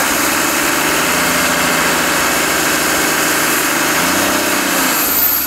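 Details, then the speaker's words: 1984 Toyota Land Cruiser HJ47 with 2H diesel, first run after 19 years sitting in a shed; even, steady diesel clatter at idle with no misses, knocks or hunting: normal idle. "yeah good she's running"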